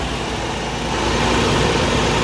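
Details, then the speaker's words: Toyota 22RE truck with AC off, idling high around 1700 rpm whether cold or hot and rising as coolant temp reached mid-gauge: steady, loud idle that creeps up; smoke and a coolant leak were found, cause not confirmed. "it's been idling up so high even though it's cold or hot it was steady at 1700 for a while"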